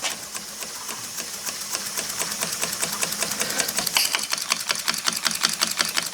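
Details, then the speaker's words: Model horizontal steam engine (aluminum casting, piston valve, 9/16" bore, 3/4" stroke) with a flywheel-pin reversing mechanism, running on compressed air at about 1.5 psi. Quick, even chuffing at about 160 beats per minute, running smoothly in reverse. "It doesn't take much pressure to run these. That's about 1 and 12 lbs of pressure."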